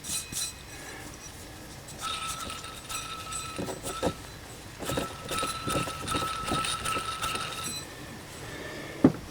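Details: Chevrolet Astro Van 4.3L V6, old idler pulley spun by hand after removal: dry, gritty rattle with thin ringing tone fading as it slows, unlike the smooth new one; worn idler pulley bearing.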